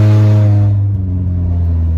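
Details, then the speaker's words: Honda Element with its catalytic converter stolen, cruising at 70 mph on the freeway before the replacement: a loud, deep, steady droning boom, far too raw for a stock car, from the missing catalytic converter. "all right guys on the way to the muffler shop get a catalytic converter that's what it sounds like"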